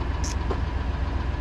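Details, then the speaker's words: 1999 GMC Suburban 2500, possibly an SLT: steady idle with a quick, even pulsing tick that tracks engine speed; lifter noise. "uh fires are pretty good uh if you can't hear it it does have a that's a lifter noise um"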